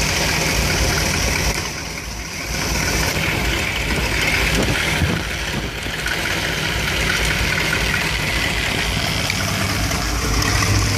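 Warm V8 idle with an uneven, loping beat and irregular stumbles instead of a smooth steady rhythm; a rough idle, cause unknown.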